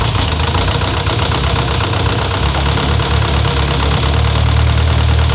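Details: Renault 5 GT Turbo running for the first time in 5 years after a turbo rebuild, idling lumpily with loud rapid tapping that keeps time with engine speed; a fresh top-end tick, source not yet pinned down and only suspected.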